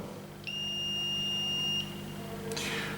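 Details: Smart circuit breaker (smart MCCB/RCBO) with its lead put in water, about 40 mA flowing from phase to ground: a single long, high, steady beep of over a second over a quiet room hum, its ground fault leakage alarm.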